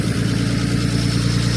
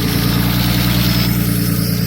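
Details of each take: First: Nissan R32 Skyline RB20 on first start after engine install, no coolant in it yet: even idle with a light, fast ticking over the rumble; hydraulic lifters still bleeding up, noisier than owner likes, expected to quieten with more run time. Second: Nissan R32 Skyline with RB20, first start after engine install on Christmas Day, no air temp sensor, turbo not yet making boost (one pipe unhooked): deep, even six-cylinder burble at steady idle, no stumbles or knocks; noisy injectors noted; runs good.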